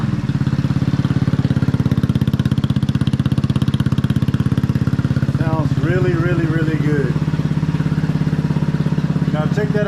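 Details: 150cc GY6 scooter, abandoned, reassembled, first start on a charged battery; quick, even putter with a steady beat and no knocks or rattles, idles cleanly.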